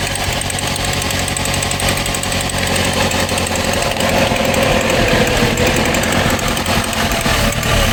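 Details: Opel Astra G SRi, Z22SE engine, owner suspected crank sensor: uneven lumpy running with irregular stumbles and a shaky beat instead of a steady rhythm; engine misfiring, no check engine light.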